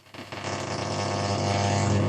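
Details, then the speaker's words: Sony ST-2950F tuner on medium wave: steady coarse buzz with low hum masking reception; interference source unknown, unplugging the suspected laptop power supply didn't clear it, lights also suspected. "That's all that interference is probably my laptop power supply."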